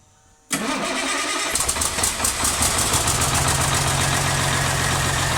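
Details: CAT C13 diesel after rebuild for destroyed camshaft, lifters and general wear: starter catches after a beat and the engine settles straight into a steady, even idle with no knocks or ticking; normal start.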